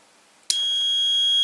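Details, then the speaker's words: Automotive relay bench test with auxiliary battery and multimeter continuity beeper: normally open contacts silent until coil (pins 85/86) is energized, then a steady high-pitched beep holds without dropping out. Relay switches normally. "Y ahora de momento, este de aquí que está abajo del todo y el de arriba normalmente está abierto, ¿veis? No suena. Si yo ahora lo energizo, debería de sonar, mirad."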